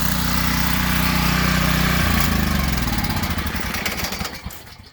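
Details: Ryobi RY903600 212cc 3600 W generator after carb kit, tune-up and oil change: steady, even single-cylinder thrum about two seconds, then cuts out and beat slows as it coasts down; runs properly, normal running.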